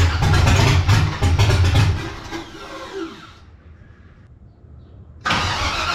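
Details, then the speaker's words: 1984 Cutlass G-body, procharged LS swap on Holley Terminator X EFI, idle screw turned up: cranks, fires and revs roughly two seconds, then sags and dies, cranks again; won't hold idle, owner suspects insufficient air through throttle body. "yeah, but we got to open up that throttle body, I think, because it's definitely not getting enough air."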